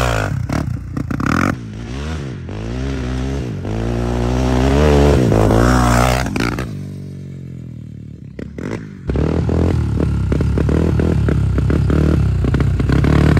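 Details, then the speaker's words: Honda TRX400EX ATV bought as-is and later found to have a blown motor: revs up, holds, then stumbles and dies before catching again; it cuts out even at full throttle, and the owner wonders about timing or water in the flywheel. "When you were like full throttle, did it seem any better or was it still It would be, but then it would still cut out?"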